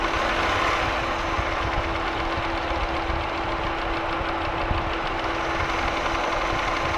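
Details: Holden Commodore VY V6, Series II Buick 3800/Ecotec 3.8, at steady idle: a faint, quick tick over a constant hum; owner is unsure whether it is lifter or valvetrain noise or bottom-end rod or bearing noise.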